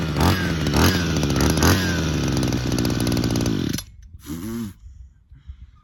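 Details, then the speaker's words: Hedge trimmer two-stroke during a brake cleaner test, revving raggedly then stalling when sprayed near the manifold. The JB Weld-glued intake manifold looked split, leaking air. "You're leaking from somewhere, and I think it's that manifold."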